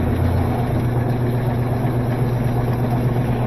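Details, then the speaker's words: Washing machine on spin with a heavy load of already-spun clothes, after a new water valve was fitted: deep steady rumble and loose rhythmic thumping that grows as the drum spins up, machine walking backwards across the floor; worn suspension snubber pads. "Now, as it spins up, you get more and more vibration. Wally thought that was his mama. You see how this machine is walking backwards?"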